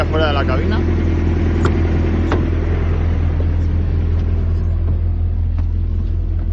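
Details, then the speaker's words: Thermo King reefer unit on a truck, running in automatic mode and heard from outside: deep, steady diesel drone at constant speed with no knocks, misses or rattles; running normally. "en este camión no se escucha mucho la verdad a parte del facebook va bien tampoco moleste madre mía un motor normal"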